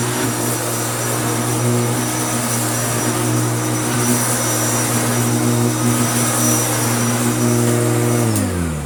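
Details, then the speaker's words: Restored Hoover Turbopower U2724 upright vacuum with a new belt, on heavy carpet, sticking down well and hard to push: smooth constant motor hum with an even brush whir, then a clean wind-down; normal running. "let's find some power and i'll show you what it sounds like now so with it slammed to the floor it really does stick down well and it's quite hard to push"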